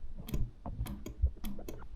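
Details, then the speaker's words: BMW K100 café racer off the road 6+ months, starter wires bridged with a second trickle-charged battery: a few sharp separate clicks, no cranking whir; battery ruled out, starter motor appears dead. "okay same story I hear a clicking noise only so it's not the battery cuz that's the second battery and that's the battery that's been on the trickle charge so looks like the starter motor is dead"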